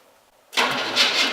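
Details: 1964 Chevrolet C10 with four-wheel-drive conversion and 1975-era running gear, first start since 2001, in the shop at about -15 degrees: brief quiet, then the V8 catches suddenly and runs with a slightly uneven, surging note.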